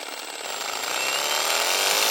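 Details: 2021 Milwaukee M18FID2 impact driver, customer says clicky; high-pitched free-running whir with a faint rattly click, no load; caused by a tiny speck of grit on the gear teeth, fixed by strip and clean.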